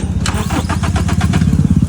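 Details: Toyota Fortuner diesel that stalled while driving, fuel suspected; after pumping/priming fuel under the bonnet it cranks with rapid chuffing, then catches and settles into a lumpy run; fuel starvation stall.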